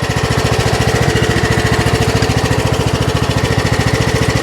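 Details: Troy-Bilt Pony riding mower, salvaged from scrap, after electrical and steering repairs, test drive: steady, even single-cylinder thump of about 3.5 beats a second under way with no knocks or misses; all 7 speeds work, healthy.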